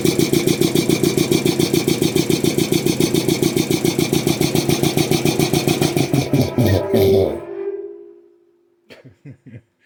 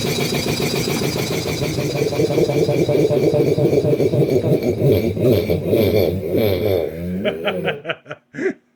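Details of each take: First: Restored old DeVilbiss 445 air compressor on electric motor, speed checked with tachometer: quick even pumping beat about three and a half per second, then spins down and stops; running too fast, owner wants a pulley for about 350 rpm. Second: Restored DeVilbiss 445 compressor first run with both heads on, valves fully open, interstage coolers not yet fitted: even fast pumping thump with steady tone before winding down; runs smoothly and quietly.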